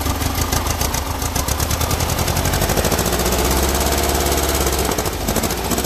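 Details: Freshly built air-cooled Volkswagen flat-four at first-ever start-up, oil pressure confirmed: uneven, lumpy beat of three to four pulses a second, running rough because the carburetors are way off and need tuning.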